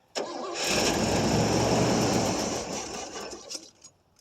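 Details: 1989 Pontiac Safari wagon, first start in 18 years, carburetor primed with gas, about 40°F: catches and runs roughly about two seconds, then revs sag and it dies; owner suspects old gas, an empty tank or a mud-blocked tailpipe.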